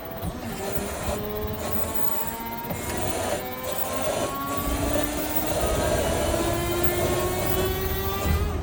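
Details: Hydraulic machine dead-headed at full pressure after cooling, trying to reproduce a relief valve screech: steady hum, no screech could be made to occur.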